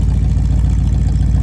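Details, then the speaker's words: 1967 Ford Mustang with a 302 V8, revived after storage since 2008, idling while the transmission fluid is checked after a shift shaft seal repair: deep, even V8 burble with no knocks or misses. Running good. "That's kind of where we're at, but it's running good."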